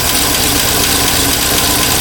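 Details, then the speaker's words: 1958 Studebaker Commander V8, carburetor not squirting fuel: busy, uneven clatter and hiss over weak low rumble, no clear misfire; owner feels it isn't missing, needs tune-up. "I don't feel like it's missing it runs fairly smooth to have seven a spark plugs and stuff"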